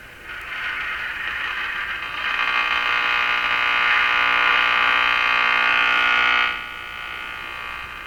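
A harsh, steady buzz swamps the band while tuning and drowns out the stations. The source of the interference is unknown.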